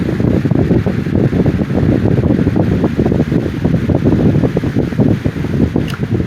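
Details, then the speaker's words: 1987 Patton CA-1284 12" rotary box fan after repair: the blade had been slipping on the shaft until a clamp was tightened over the shaft. Steady whir with only a faint rhythmic wobble and no rattle or scraping; the racket is gone, though it is still slightly out of balance. "and so I put this on and I tightened it up and this is what happened [Music] that racket is gone no noise at all"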